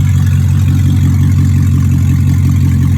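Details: 2002 BMW 745i V8, flood-damaged electrics, after power control module swap: deep, loud, booming exhaust drone at steady idle, far louder than stock; catalytic converters were removed and sold, leaving both pipes open.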